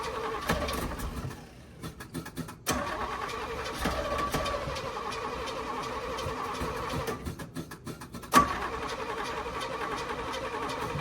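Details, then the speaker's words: Small block Chevy petrol V8 in a white dump truck, before rebuild: runs rough, then pounds with heavy, uneven metallic knocks like a ball peen hammer when revved; the engine was badly worn and the distributor loose; replaced with a crate motor. "if you all remember when we first got this thing in here, it was knocking to beat the band. Sound like a ball peen hammer on a handle."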